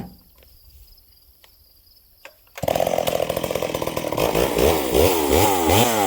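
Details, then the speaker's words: Stihl 038 Magnum chainsaw, long parked, after clutch spring replacement: revs in rising and falling sweeps, with uneven drops back toward idle; sounds rich, then too lean when adjusted, stumbling off idle, and lacks pull; mixture problem suspected, not confirmed. "It's revving, but listen to how it comes back down idle. It sounds really rich. And then watching the footage, friends, I lean it out and it's way too lean. You can hear a little bumble, a little stumble off idle."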